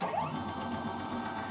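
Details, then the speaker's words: Small Arduino CNC-shield router, X-axis stepper moving at speed 1500: soft, even hum with a faint higher whir, a subtle noise and slight vibration attributed to the bearing, no skipping; normal stepper motor running. "ó tá vendo esse ruído que ele tá fazendo um ruído é eu vou dizer assim Sutil tá 1500"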